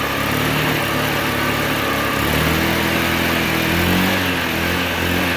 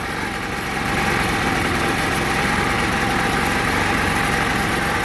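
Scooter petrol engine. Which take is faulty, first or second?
first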